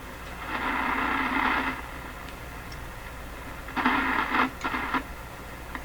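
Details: Stromberg Carlson 561 tube radio, largely working but with a characteristic hum: hissy static swells and cuts out in uneven scratchy crackling bursts as the tuning dial moves; fault lies in the tuning section, cause not confirmed.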